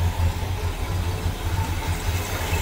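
A steady, even low rumble at a cold, choked idle with no knocks or misses. The V8 is running cleanly.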